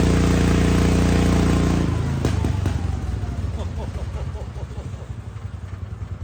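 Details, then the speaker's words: Wheel Horse C-120 single-cylinder engine after fuel was drawn up and the filter refitted. Firm steady run, then revs drop to an even idle thump of about three beats a second; normal running. "Lovely sounding engine. Okay, so well, it runs."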